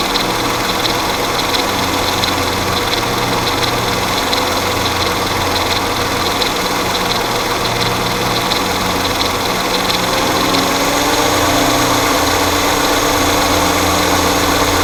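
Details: Mercedes M112 petrol V6 idling with a busy, rapid rattle, very pronounced at idle, that goes away at about 1500 rpm. Suspected timing chain noise, not confirmed.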